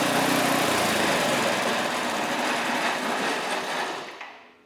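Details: Scrap-heap snowblower after reassembly with a new choke: a small single-cylinder buzzes at a fixed, governed high speed, fairly even, then cuts off and dies away. It runs properly.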